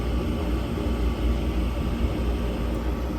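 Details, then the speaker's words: Furnace heating blower fan run by jumpering the green 24 V wire: low, steady airy rumble with no rattle, scrape or squeal. It sounds normal; the reported noise turned out to be only a grille. "oo nada fuera lo normal de verdad no oigo nada no escucho nada que sea bueno"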